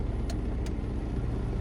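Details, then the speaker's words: 2011 Toyota Sienna with front AC fan on, still blowing cold air: a steady, heavy low rumble from the blower under the dash that continues at higher speed; blower motor out of balance, replaced. "It's still blowing cold air, but again, it's making that noise. Sometimes what happens is the blower motor gets out of balance"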